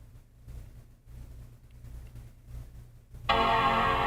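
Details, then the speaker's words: MacBook Air A1466 after full keyboard/touchpad assembly replacement, battery at 96 percent: near silence with faint handling noise, then clear sustained startup chord at power-on and Apple logo; normal startup chime. "I still have battery I can hear that little sound goes on and here comes the Apple logo"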